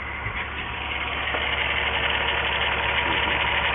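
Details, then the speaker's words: 1997 VW Eurovan 2.6 VR6 AES engine, waste-spark coils, misfire codes: uneven lumpy idle with irregular stumble about three times a second; cylinders 1 and 6 not sparking though that coil has power, ground and computer signal, so failed coil. "so we can conclusively say there that our number one and our number six are not sparking yet the coil has power and ground and that the computer is providing the signal that should be commanded at the fire"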